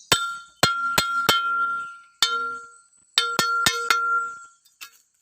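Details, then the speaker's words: Blade of a Mitsubishi 3.5 hp brush cutter being tapped in a daily check: about nine sharp metal taps, each leaving a high ring that dies within a second. Cracks are visible beside the centre hole. Cracked blade. "รวจเช็คเบื้องต้นให้ดูนะครับว่าการฟังเสียงยังไงให้ให้มันให้เรารู้ว่าเสียงดังอยู่ไหนถึงใบมีดจะไม่ทำรถและแตกนะครับ"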